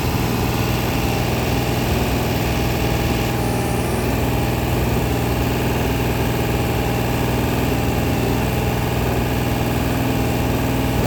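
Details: Freshly rebuilt 426 Hemi crate V8 (new heads, intake, pistons) on a run stand during flat-tappet cam break-in at 2400–2500 rpm, 32 degrees timing, 150°: steady, even high-idle drone, no valvetrain ticking or clatter; break-in going fine.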